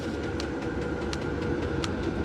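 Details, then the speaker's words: Chinese diesel heater ducted into a tent through 3 ft PVC, running at full blast before being turned down: steady fan hum and burner roar with a light fuel-pump tick; normal operation at full output. "it just at idle i'm not at idle right now this thing is there on a full blast but at idle let me see if i can turn it down for you"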